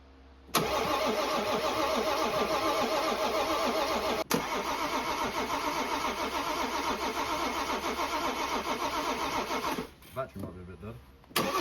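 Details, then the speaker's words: BMW 430d diesel, first start after a new crankshaft and bearings were fitted to cure a knock: fires once fuel pressure builds and settles into a steady, even idle with light clatter and no knock. "And once it got that fuel pressure that it needed, it finally started and it sounds amazing. A million times better than when we first bought it."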